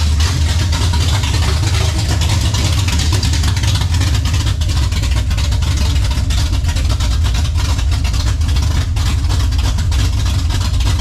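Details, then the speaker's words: 1967 Camaro 454 big-block: deep, steady, even lope with no misses or stumbles for over ten seconds, longest it has run; healthy idle. "there you go that's the longest she's ran"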